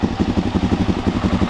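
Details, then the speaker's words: Suzuki DRZ400 kick-started for the first time after engine work, on a low battery and a piggyback fuel tank. It settles into quick, even single-cylinder thumping, slightly lumpy; throttle and air-fuel mixture still need adjusting. Normal idle. "there it is I don't know how long it's gonna run but there it is First Time start"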